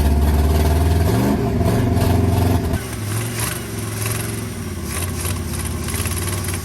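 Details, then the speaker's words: Abandoned, seized 1980 International Scout II, first start: uneven, lumpy firing that stumbles then settles into a ragged, smoky idle as diesel left in the cylinders burns off. "That's the diesel. That there, she's smoking a lot. You're gonna see another footage here that's the diesel burning off."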